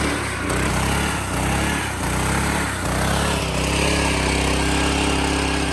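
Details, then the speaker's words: Street sweeper's small single-cylinder engine after replacing the carburetor, because cleaning the old one didn't get it to start: picks up slightly, then holds a smooth, even note with no stumbling or surging. Running normally, dialed in. "Oh, it's working. Like you can hear here, it's completely dialed in."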